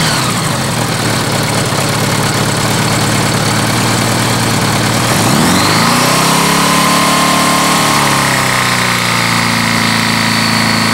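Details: Honda GL1100 cold engine run to 4000 rpm then idling on side stand: dull knock from completely wiped-out rod bearings, with oil pressure dropping.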